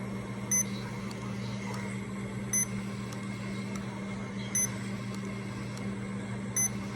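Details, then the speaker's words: Remodulin infusion pump self-tested, reserve volume 100, air detector off, priming its line: short electronic chirp about every two seconds over a steady low hum, normal priming. "now it's doing a self test please wait now we're ready to prime the line so we're gonna prime"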